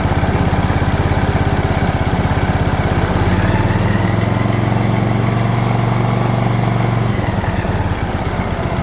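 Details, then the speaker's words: DR all-terrain mower, Kawasaki FV420V engine, first start after sitting for years: chugs unevenly on choke, note shifting and wavering, with heavy smoke and fuel dumping from a disconnected hose. "it ran y'all probably noticed but it's dumping fuel out of a hose"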